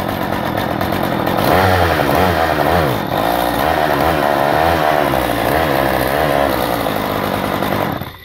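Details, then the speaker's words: Stihl MS 192 top-handle chainsaw idling: engine speed surges up and down erratically because the split intake connector boot lifts off, letting air leak straight into the manifold; vacuum leak. "they were complaining of some erratic running and let me show you what it is listen to it now"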